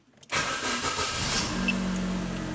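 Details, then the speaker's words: Same car, started with the key: cranks briefly, catches first try, settles to steady idle; suggests the aftermarket start-stop kit is likely the fault. "com a chave galera consegui ligar de primeira olha aí ó tá vendo ó"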